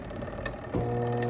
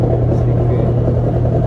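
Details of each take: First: Washing machine, wash motor fed directly with the timer bypassed: steady low hum but no spin, same noise as before, so the timer is fine and the fault is the motor's seized bushing. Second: 20 kg washing machine after repair of the wash motor's bushing, reassembled and powered on: steady low even hum running smoothly, then winding down quietly with no grinding or knocking; motor now works normally.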